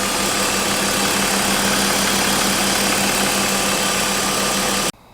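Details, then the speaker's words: BMW E36 after M50 intake manifold swap, aFe cold air intake and secondary throttle body delete, in a garage: steady, even idle with a loud throaty intake hiss, way louder than before, and a constant low hum, no misses or knocks; normal idle. "It sounds good. It's definitely here the intake noise. Oh, yes. The intake noise is definitely there. It's loud. Way louder."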